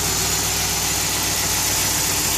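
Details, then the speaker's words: 2013 Dodge Ram 2500, otherwise stock, after installing a ChromeIntakes cold air intake with K&N filter: steady, even idle with a smooth low rumble and a strong airy hiss from the intake, not revved; normal idle. "Without revving the engine, you really won't notice much of a difference, but there it"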